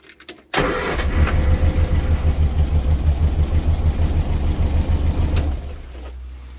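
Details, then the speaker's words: Morris Minor Traveller with misfire and cut-out at idle, idle turned up, plugs leads pulled one at a time: with plug lead one removed it runs lumpy with uneven low thumps about three a second, much worse; cylinder three later identified as misfiring. "that was much worse so I'll pop that one back on take this one off"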